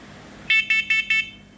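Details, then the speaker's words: Kidde voice-alert smoke and carbon monoxide detector with a 10-year battery, on a home self-test: four sharp, even high beeps about a fifth of a second apart; the unit passed and works normally. "So this has a 10-year battery in it, and I just changed out the house's air filters, and while I had the ladder out, I decided I'd test all these guys out. And they work good."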